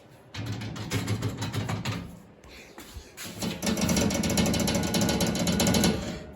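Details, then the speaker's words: Polaris RZR 800 with aging Pro Armor doors while riding: fast, tinny chattering rattle over engine and trail noise from a door flexing; door rattle. "and if you have proar doors you probably hear this all the time now imagine all four doors doing that at the same time um it gets pretty annoying"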